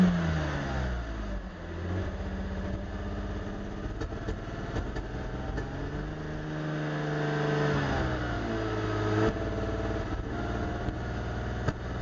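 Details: Mercedes R129 300 idling after it misfired once, then twice: the idle stumbles and shakes unevenly, with uneven beats and dips when revved. The engine is misfiring and running rough.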